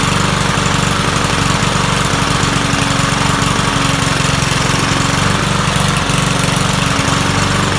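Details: Troy-Bilt 21-inch self-propelled mower salvaged from the dump, owner thinks it has a Kohler engine: the single-cylinder engine thumps quickly but unevenly, stumbling now and then. It runs rough, and the owner says the carburetor needs cleaning.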